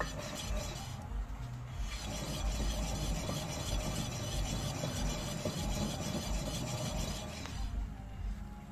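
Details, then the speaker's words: Wheel hub with small side-to-side play, customer complained of humming, microphone held close as the wheel turns: gritty, uneven rasping scrape; worn wheel bearing. "Bir de bu tekerden bozuk olduğunu fark ettik teker takılıyken sağ sol yönü çok küçük bir boşluk olduğunu ve uğultu yaptığını zaten şikayette belirtmişti"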